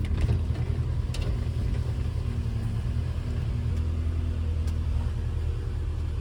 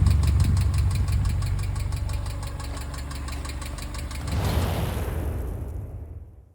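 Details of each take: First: Subaru EJ boxer engine in a VW Syncro Doka conversion, just after replacing noisy hydraulic lifters and fresh oil, started cold: steady even idle with no ticking, slight remaining noise expected to vanish when warm. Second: Subaru EJ engine in a VW Syncro Doka conversion, recorded close up at operating temperature: fast, even ticking about four per second over the idle until shutdown from bad hydraulic lifters, later replaced.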